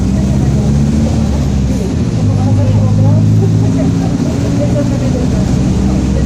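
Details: 2007 Grande Londrina 1110 Torino bus on Mercedes-Benz OF-1722M chassis, line 505, recorded 2021, onboard while driving: low droning growl under the diesel rumble, holding with road speed; rear differential growling.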